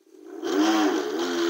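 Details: Segway Ninebot G30P kick scooter in sport mode, rear wheel lifted, full throttle, before motor/rear wheel replacement after 2.5 months broken; harsh, buzzy whir with several rough tones. Abnormal hub motor noise under load.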